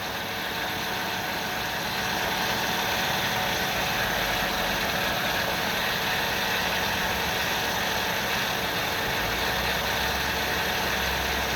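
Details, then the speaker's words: 2000 Ford Windstar SEL 3.8 V6, 204,000 miles, rebuilt motor and heads: rough idle about 900 rpm, dull uneven pulse, valve cover and alternator shaking; no vacuum leaks or scope misfires; EGR cleaning once cured it. "current idol's about 900 but you can see the the valve cover the whole thing is shaking"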